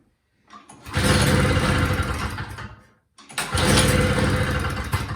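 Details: Two-stroke single-stage snowblower, previously a no-start with good gas, choked and primed: revs up, sags nearly to stalling, then picks up about every 2.5 seconds, smoking and leaking oil; surging badly, carburetor to be inspected.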